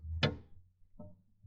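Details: Daewoo Lanos rear: two sharp ringing metallic clunks about 1.5 s apart in a quiet garage; loose rear suspension mounting bolt with metal spacer.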